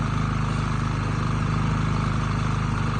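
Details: Predator 3500 inverter generator after oil, spark plug and air filter change, just switched from choke to run, no load: small engine running smooth and even at steady speed, no misses, knocks or hunting; normal running.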